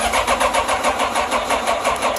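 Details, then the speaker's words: Yamaha FJR1300 ABS motorcycle with a suspected bad starter: steady rhythmic cranking at about four to five beats a second that never catches and then dies away, crank no start. "See, it won't start."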